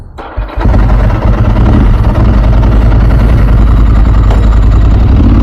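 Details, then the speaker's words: 2000 Ducati 996 SPS, 25 years old, freshly serviced and warmed up, on a ride: V-twin fires and settles into a steady lumpy throb with even pulses, exhaust audible, dry clutch rattle normal; no odd knocks, running healthy. "Hopefully you guys can hear the exhaust. It's got the the dry clutch like the old Ducatti bikes. You can hear the rattling."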